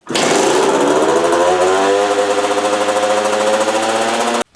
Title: Dirt Bike Idles WAY Too High On Cold Start [Why & How To Fix]